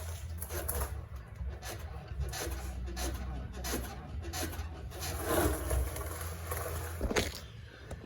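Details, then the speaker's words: Ford Falcon/Fairmont Ghia suspension creaking and scraping as the body is pushed down and rebounds, after new shock absorbers were fitted; coil spring suspected as source. "Yeah, so that's the creaking noise, and I believe it's coming from the spring here."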